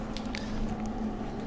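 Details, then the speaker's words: Flux-core wire welder set with volts turned all the way up and wire feed speed low. It gives a soft, uneven sizzle with sparse, hot crackles instead of a steady fry; the wire just trickles out. This is the sound of voltage too high and wire feed speed too low. "so that's what it sounds like if your volts are really high and your wire speed is too low that wire just kind of trickles out and and doesn't do much"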